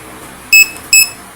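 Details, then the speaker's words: Mili MiTag smart finder tracker being switched off: two short, high beeps about half a second apart in a quiet room. Its normal power-off tone. "Sa mga off, ganito naman ang tunog ng off."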